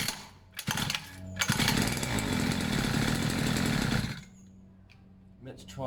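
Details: Two-stroke pit bike, fresh fuel, long unused, choke off, idle a bit weird: short raspy burst surges then dies back to a stumble; erratic running from choke slipping.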